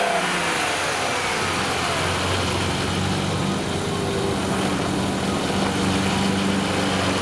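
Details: Engine revving with a loose rattle and rough, uneven running from worn intake shifter rod bushings plus a vacuum leak at the green shifter rod gasket; replacing the bushings and gasket made it run well.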